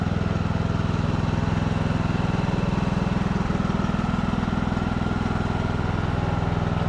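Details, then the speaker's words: Craftsman YT3000 riding mower (Husqvarna-made), revived after about 5 years sitting, forward/reverse drive test: even engine thump around 176 per minute, no grinding, whine or bearing rumble; transmission and pulleys working normally. "sweet well seems like transmission's working just like it's supposed to"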